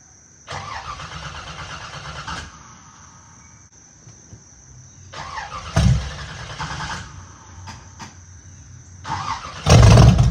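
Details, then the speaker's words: Small-block Chevrolet Camaro V8 with choppy cam, open headers, sat three weeks: fires in bursts, deep choppy rumble with throttle blips; normal cold start, lopey from the cam. "so it's this is like the truest cold start you can get besides it being 20 degrees outside oh"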